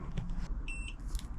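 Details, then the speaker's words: Electric scooter powering on after replacing controller and display kit: single clean, high-pitched beep about a quarter second amid handling noise; comes on with no error messages, normal power-up. "and it's come on. There's no error messages, which is good."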